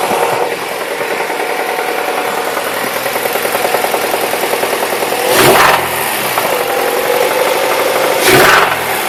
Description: It makes the same knocking sound from a cold start, then mellows out and does it when i apply throttle.